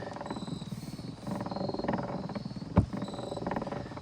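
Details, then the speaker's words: 1920s PikniK portable phonograph with a Heinemann spring motor, single or possibly double spring, being wound about 85 turns. Quick ratcheting clicks, then one dull thump; motor possibly not yet serviced, cause unconfirmed. "Oh, I heard a thump, so maybe I haven't done the motor in this."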